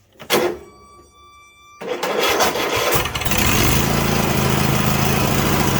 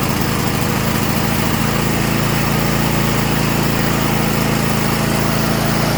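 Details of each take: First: 2016 Craftsman T8200 Pro riding mower, 24 hp Kohler Elite KT735 with 46 hours: short crank, catches on carb cleaner sprayed into the intake and runs ragged; no fuel delivery from the carburetor. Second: 2016 Craftsman T8200 Pro riding mower, 24 hp Kohler Elite KT735 engine, 46 hours, after carburetor repair and fuel lines flushed: smooth, even single-cylinder beat at steady governed speed, no surging or misses; normal running.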